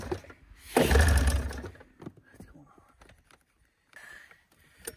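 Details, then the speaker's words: 1987 Arctic Cat Cougar 500 snowmobile with a Suzuki two-stroke, long sitting, gas poured into the carbs: a brief ragged burst of firing that sputters out within a second. It won't take throttle. "oh she won't take any throttle got get this thing dragged up that way when she starts I can just really rev it"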